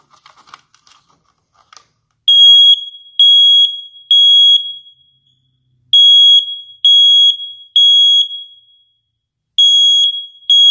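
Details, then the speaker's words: Hardwired 120 V smoke detector with the interconnect (red) wire removed, set off manually: clean shrill beeps in groups of three with pauses, sounding independently of the downstairs unit; single unit alarm test. "now I'm going to remove my interconnected wire and you'll see that this smoke detector will act independently of the smoke detector downstair"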